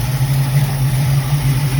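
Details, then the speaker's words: Carbureted Mustang, cold start with choke wide open, no throttle feathering, after a 1-inch spacer swap fixed a vacuum leak: low, steady, smooth burble with no stumbling or hunting, far better than before. "This is a cold start. I'm not even in there feathering the gas, and I can tell you it's already 1,000% better. Oh yeah, it hasn't run this smooth, this cold, with the choke wide open in forever."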